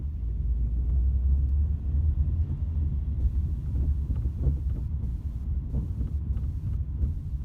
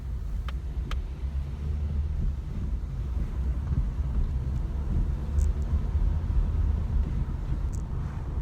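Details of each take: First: Ford Mondeo driven on the road, camera on the rear seat: deep cabin rumble with dull irregular thuds from the rear, felt through the floor; all four rear subframe bushes split, letting the subframe knock the body; worsened over 3 years. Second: Ford Mondeo driving after replacing four split rear subframe bushes that let the subframe knock against the body: steady low road rumble, no knocks or clunks from the rear suspension; knocking gone.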